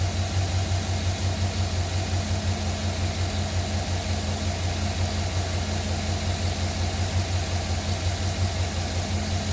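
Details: 2009 Silverado cold start: steady cold idle with a light, fairly regular tapping about three a second under the low drone; a knock at start-up, cause suspected, not confirmed.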